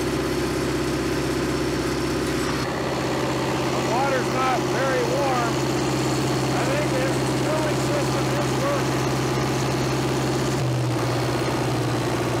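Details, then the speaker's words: 1970s Cat D330C 4-cylinder diesel generator set (90 kW standby), sat 10+ years, held wide open with no load: loud steady even roar, no knock or miss; healthy. "we'll let her cool down a little for a few minutes don't really want a runner wide open for too long there's no load on it"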